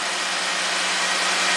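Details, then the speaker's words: 2017 Jeep Rubicon after repair (an oil gallery plug replaced), bank 2 intake phased with scope running: brief steady idle with no rattle or ticking. Normal idle. "so after repair we're going to phase the bank to intake first let's roll the scope we got the data pits pulled up fire it up we should had no rattle now"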